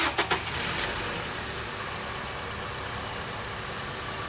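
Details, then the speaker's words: 2007 Honda CR-V with a no-start complaint, started by jumping the starter with a remote switch and screwdriver: quick burst of cranking, then the engine catches and settles into a steady, even idle; normal start and idle. "Now you hear the engine start."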